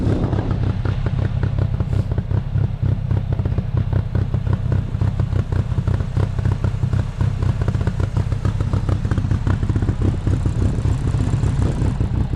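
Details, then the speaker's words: 1995 Honda Acty, carbureted, cold January day, jump-started after sitting 2–3 weeks, after carburetor float work: lumpy, uneven idle with stumbling thumps, white smoke returning; misfiring, cause unknown, owner fears coolant from cracked head. "It sounds like it's misfiring and all sorts of other [ __ ] Um, so yeah, I don't know."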